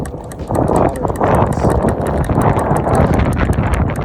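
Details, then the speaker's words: Onewheel GT while riding: sharp, regular clicks a few per second from inside the hub motor, getting faster with speed, over rolling and wind noise; owner suspects a bearing issue; ride performance unaffected. "but this time it was a concerning clicking sound coming from within the hub faster i go"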